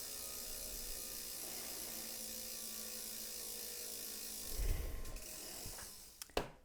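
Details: Tacx Neo smart trainer after about 10 months of use, after the freewheel plate was removed and cleaned following a grinding noise: quiet, fine ratchet clicking with no scraping or grinding underneath; normal freewheel.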